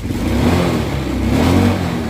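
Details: Honda Scoopy i scooter before fuel pump replacement, throttle blipped repeatedly: revs rise sluggishly and sag back unevenly, struggling to pick up; a failed fuel pump starving the engine, later fixed with a new pump motor.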